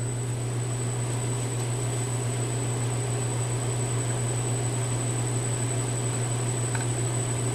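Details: A ½ HP three-phase motor on a VFD is run in reverse up to full speed (60 Hz) as a test. It gives a smooth steady low hum with a faint high whine and no knocks. A furnace rumbles in the background, and the owner notes a little noise but says it feels really smooth.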